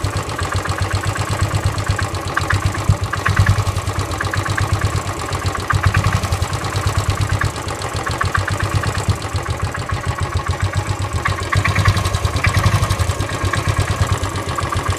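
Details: Royal Enfield Desert Storm Classic 500cc EFI at idle after a long tour, recently serviced with oil and filters changed: thumping single-cylinder beat with sharp regular metallic knock; friends suspect piston slap or worn floating bushes, unconfirmed.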